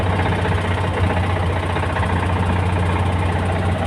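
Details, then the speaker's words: Loaded vehicle driving: loud low engine drone with a rough, repeated knocking undertone, heard only under load and in a certain rpm range, silent at idle; knock worsening, cause unconfirmed. "А вот на ходу когда идёшь то его сильно слыхать"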